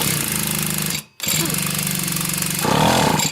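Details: Pocket bike under restoration, cranked on a charged battery with the spark plug out for a compression check: fast, even buzzy cranking pulses with a brief pause between attempts. Compression sounds even and healthy.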